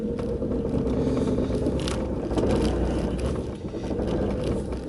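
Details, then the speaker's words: 2001 Audi TT, camera inside car, slow sharp turn before Haldex oil and filter change: low rumbling with crispy crackling, scraping and felt dragging or metal slippage from the Haldex AWD coupling. "I feel like I can feel like a dragging also like some metal slippage so yeah that's what we're trying to fix"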